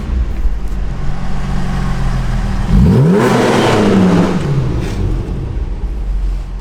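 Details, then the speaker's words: Toyota MR2 after the exhaust leak fix: steady background idle, then a clean quick rev rising and falling smoothly with no puffing or ticking, so the exhaust sounds sealed and normal. "That sounds sick."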